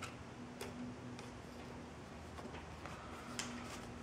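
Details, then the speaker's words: LTL Acorn 5210A trail camera: faint, irregular light ticks about every half second over quiet room hiss as the orange IR-cut filter behind the lens moves back and forth; normal IR-cut filter clicking. "you sometimes you'll be able to see a little orange filter which moves back and forth and you can also hear that I saw like a clicking sound"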